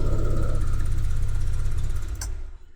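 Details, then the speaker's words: Single-cylinder injected scooter starting and running evenly for a couple of seconds right after a plug-and-play piggyback injection module was installed; clean running shows correct installation. "Oke, kita starter, apakah bisa hidup? Oke, nah ini kalau bisa hidup berarti pemasangannya udah normal. Nggak ada masalah."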